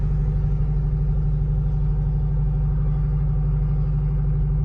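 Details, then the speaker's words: 1977 MCI MC8 bus with transplanted Detroit Diesel 8V71TA two-stroke, first start after 1.5 years: deep, steady idle firing evenly, no knocks or stumbles, loud as if unmuffled; air pressure 85 psi and building, oil pressure 20–25, healthy engine. "Yeah, I wouldn't know this thing doesn't have a muffler on it the way it sounds, you know? Sounds good. Sounds great."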